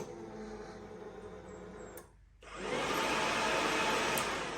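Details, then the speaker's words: 2018 Yamaha YFZ450R radiator fan run from a newly installed manual fan switch (key on or off) that leaves the factory auto fan intact: a brief quiet gap, then a steady, even rush of air with no rattle or scrape; the fan runs fine. "Before we dive in here, I'll show you that this setup works. Doing it this way will work with the key on."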